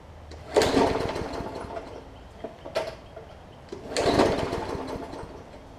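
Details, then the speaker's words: Hyper Tough Briggs & Stratton OHV push mower with a plastic carb, left unused over winter with water in the fuel; pull after pull gives popping, sputtering fires that die without catching, likely water on the plug too. "so you can hear it popping so there's a little bit of water that's probably in the plug as well so i'm going to continue to pull it it'll catch at some point"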